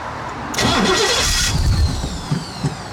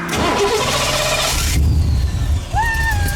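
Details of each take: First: Cobra broken down on the road: about a second of steady cranking that never catches; no fuel is reaching the engine because the fuel pump isn't running, and no leaks were found. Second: Cobra after a roadside breakdown, suspected knocked-off fuel pump hose refitted: engine catches and settles into an even running rumble with no stumbling; normal start.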